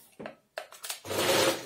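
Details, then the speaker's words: Chaika 132 sewing machine electric drive not running; motor tested fine, power cord flexed at one spot: handling knocks, then motor whirs about half a second and dies; broken wire inside the power cord. "вот в этом месте нажимаю нажимаю и создал здесь перегибаю то начинает срабатывать швейные машины то есть вот здесь перелом одного из проводов"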